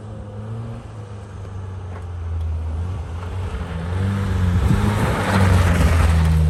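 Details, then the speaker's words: 1965 Toyota Corona, abandoned, running off a boat tank after fuel-pump priming trouble: low, uneven note that wavers and surges pulling away; rough running, fuel filter found with gunk, consistent with a clogged filter. "so I'm pulling the fuel filter on it sounded like it was having some runability issues yeah okay there's some some gunk in here"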